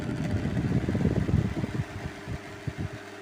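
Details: Oriental table fan with worn shaft making a low uneven knocking rattle, about three knocks a second; shaft replaced to fix the noise.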